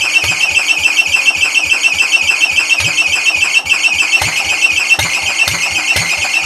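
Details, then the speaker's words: Old Cub (1953 or 1963) engine, long sat with dust inside: steady high-pitched shriek over low chuffing about three a second; owner thinks the drive belt is squealing. "I think it's the belt squeaking for the drive yeah that's what that is"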